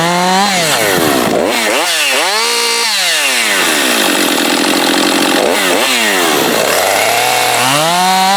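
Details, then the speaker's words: Husqvarna 550XP AutoTune chainsaw after case and seal rebuild and pressure/vacuum leak test: starts first pull, crisp revs climb and fall cleanly, settles to steady idle after warm-up without bogging, stalling or idle overrun; healthy. "so that's a happy 550 starts first pull you can get it warmed up drop it right to idle it doesn't bog or stall"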